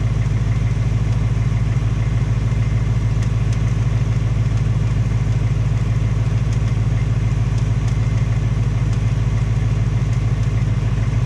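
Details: 2018 Ford Mustang GT, second engine with only 1200 miles, steady V8 idle with a fast even light tapping over the low rumble; top-end or piston tick, possibly piston slap or Coyote tick, unconfirmed; Ford fitting a third short block.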